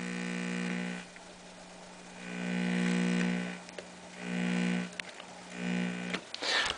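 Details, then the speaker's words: RCA 87T tube radio (labeled 87X) on a variac, slightly leaking filter capacitor, no station reception: touching phono terminal gives a low hum that swells and fades with volume; audio amplifier and high voltage working, recap expected to improve it. "so the actual thing is operating and there's high voltage and there's definitely hope for this one"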